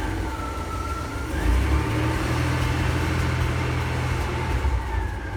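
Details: Ford F-Series highboy truck "Fiona 2.0" on maiden test drive after complete engine and gearbox replacement (old motor threw rings, puked oil); deep, even engine rumble pulls away smoothly, no knocks or misses; healthy.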